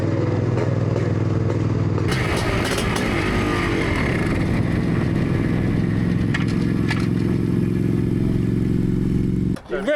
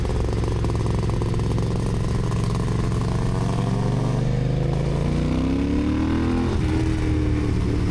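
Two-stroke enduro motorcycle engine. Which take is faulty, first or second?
first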